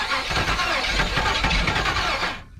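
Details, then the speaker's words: 1977 Chevrolet 4x4 project cranking on old fuel; steady cranking churn with a few weak catches that never fire, so a spray of starting fluid is planned. Cranks but won't start. "hey she was trying let's just give her a spray and uh get her running that away I did try to fire up off that old stuff"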